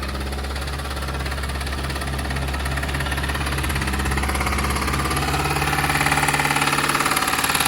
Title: Engine sound problem done ✅ #automobile #mechanic